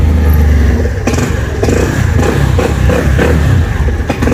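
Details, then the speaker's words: Fuel-injected Cappuccino 50 scooter (new body) with fault light on: started and given throttle, it revs, then stumbles in choppy bursts and cuts out instead of holding the throttle; engine cutting out under throttle, cause not yet diagnosed. "motorumuzu çalıştırıyorum çalıştırdım gazı veriyorum kardeşim yakıyor ve istop ediyor"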